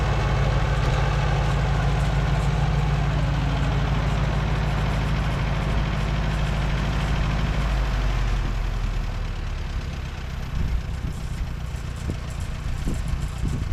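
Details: Co-op E3 tractor (about 1947) after years of sitting, later start, chains off: low rhythmic thump settling to an even idle after starting; engine runs fine, though fuel leaks.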